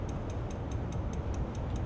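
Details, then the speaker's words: 2006 Dodge RAM 3500 with 5.9 diesel, key on, engine off, relay reconnected: quick, even ticking about five times a second; fuel relay chattering from loose fuse box connections. "you can hook the relay back up. When I do, it's just ticking. The relay's clicking."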